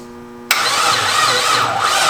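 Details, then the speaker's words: LS-swapped Subaru WRX, Holley system wiring being set up: sharp click then steady, even whirring churn as the starter turns the LS engine over; healthy cranking. "but that was on the key for the subaru clicking on and turning over yeah that's cool an ls motor i'm i'm pretty pretty stoked right now"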